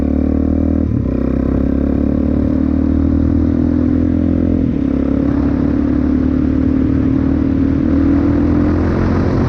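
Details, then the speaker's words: 2004 Suzuki DRZ400S on test ride, stock 22.5 pilot jet, fuel screw four turns out: the engine pulls better but crackles and pops at low revs, still slightly lean on the low end. "Yeah, it definitely feels better. It's still a little bit lean on the low end, hence the cracking popping."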